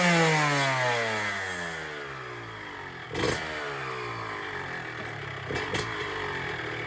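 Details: Cold start of a 2006 Honda CR125R two-stroke after full ground-up OEM rebuild with OEM crank, new OEM top end at 25 hrs and SKF seals: crisp blip falling smoothly to a steady, even idle, no misses or rattles; healthy.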